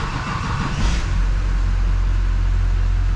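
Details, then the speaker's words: Chevrolet Silverado 6.6 Duramax diesel that died in the shop, started after priming fuel at the filter bracket: starter cranks briefly, engine catches and settles into steady even idle rumble with no miss; normal start and idle. "seal this guy back off and uh give it a start dirty max let's do this starting is the engine"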